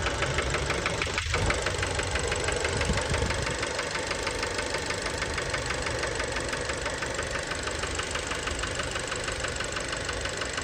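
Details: Fiat Bravo 2, 1.4 T-Jet 150 HP, 215,000 km, recently serviced, recorded close to the engine at idle: a sharp, regular, prominent metallic knock about three per second. Worn connecting rod bearings; cause unknown, car scrapped.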